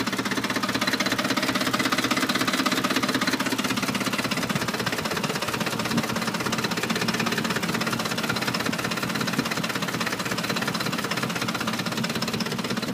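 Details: 2007 Ford F-150 at idle: steady fast ticking knock about two to three beats a second; code P0345 set, owner suspects VCT solenoid, unconfirmed.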